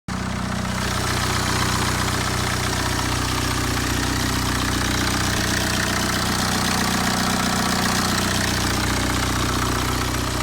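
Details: Late-2009 BMW 320d with N47 diesel on a cold start: steady idle rumble with a soft airy swoosh on top, no audible timing-chain rattle; the owner is unsure what the swooshing is.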